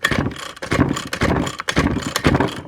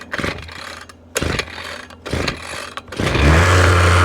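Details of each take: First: 6-year-old Ryobi string trimmer that reportedly won't start, old-smelling fuel, leakage around the carb: rasping pull-cord bursts about twice a second, engine never fires; cranks but won't start, carburetor suspected. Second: 6-year-old Ryobi two-stroke weed whip that wouldn't start, after pull-start bursts: catches and settles into a steady, even buzzing idle while smoking heavily; owner suspects carburetor, spark plug, fuel mix and a plugged gas cap.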